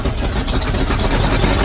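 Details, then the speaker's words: 1978 Chevy truck with an abused mid-70s 350 V8, oil long unchanged and sludged, low oil pressure: rough lumpy idle with a deep rumble and knock tapping through; timing suspected, knock cause unknown. "yeah it hasn't not it if that's not a knock I don't know what that is but it did not sound good"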